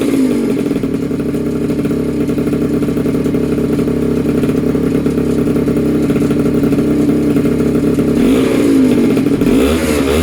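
The small two-stroke catches and holds a steady buzzing idle, then climbs cleanly when revved near the end, pulling up without stumbling.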